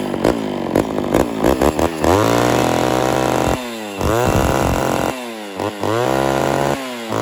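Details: Homelite Super XL chainsaw after cylinder and carburetor rebuild, during low/high screw and idle tuning: revs cleanly to a high scream and drops back to steady idle, crisp throttle response; normal running.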